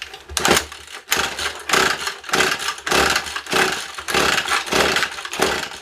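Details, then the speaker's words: Old McCulloch 110 chainsaw rescued from a junk pile, tank sealed with Flex Seal; revs in repeated bursts one to two a second, each picking up cleanly and dropping back; runs fine, though tank likely leaking and needing replacement. "i know the saw runs but i think i'm gonna have to order a new tank so thanks"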